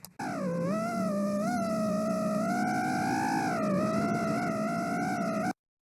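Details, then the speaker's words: FPV quadcopter with hot motors: a wavering, fluttery high-pitched whine at steady throttle from D-term PID oscillation, not vibration; it goes away at full throttle. "that's not a vibration that is a d-term oscillation to pids overreacting bad bad stuff"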